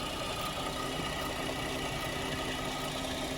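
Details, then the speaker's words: 2010 GMC Acadia 3.6 L, sat two years, first start after replacing timing chains, sprockets and VVT actuators (right bank intake cam had been out of time): smooth, even idle with no knocks, ticks or rattles; smoke likely spilled oil on catalytic converter. "she sounds pretty good, I think."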